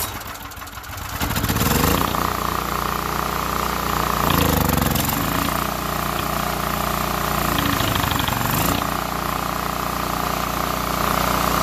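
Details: Small engine that wouldn't start despite spark and gas, after cleaning a gunked carburetor, choke on and carb cleaner primed: fires after a couple of pulls, then steady, even running with no stumbling; normal running.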